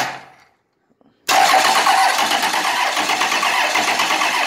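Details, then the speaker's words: 1998 12-valve diesel truck engine that was in a fire, cranking over: starter spins it at even, regular pace without dragging; good compression. "obviously it has compression wants to either lock and start to run on it"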